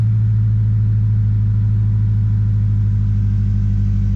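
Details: First start after two weeks, smoking with the check engine light on: a deep, low idle with an uneven, stumbling pulse, a misfire at idle; cause unclear.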